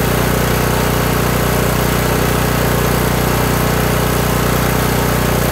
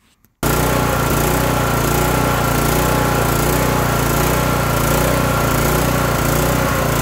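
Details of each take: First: Kohler Courage 18 single-cylinder on a lawn tractor after adjusting the low idle adjustment screw (non-adjustable jet carb): steady, even idle, no surging, governor linkage rod no longer rocking; long-term fix unconfirmed. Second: Kohler Courage 18 engine on a Toro lawn tractor with non-adjustable jet carburetor and unclogged fuel cap vent: runs loud with rising and falling speed, surging badly; to be fixed with the low idle adjustment needle.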